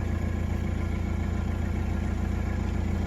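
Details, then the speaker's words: Nissan Navara NP300 diesel with customer complaint of no power and engine knock, started after codes cleared: steady, even diesel clatter around 214 beats a minute with no stumble; engine sounds normal, though a warning light still shows. "ได้สตาร์ทเครื่องดูครับว่าไฟเครื่องจะดับหรือไม่อ่าเครื่ดังปกตินะครับ"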